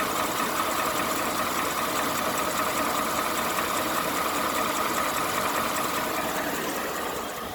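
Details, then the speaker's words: New 2018 Ford F-150 5.0 V8 at idle, heard from inside the cab: steady rapid metallic click-clack ticking, stronger on passenger side; dealer and second opinion blame the top-mounted high-pressure fuel pump, owner doubts. "this is my truck 2018 got that 5.0 engine you can hear the noise inside second salty like a click click click clack clack clack clack"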